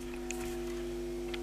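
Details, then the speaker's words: Hard-wired transistor audio amplifier input with a one microfarad coupling capacitor between stages, touched with a finger: steady low rhythmless buzz as the circuit picks up 50/60 Hz mains hum, gone when released; mains hum pickup. "what you hear now when I touch it with my my finger the circuit picks up him now it's gone"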